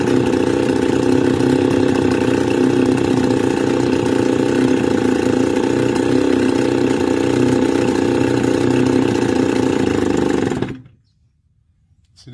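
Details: Stihl FS280 brush cutter two-stroke, hot, cover refitted for fan cooling, idle screw raised half a turn: steady slightly uneven idle for ten seconds then abrupt death to silence; hot stalling, spark confirmed, cause not yet found.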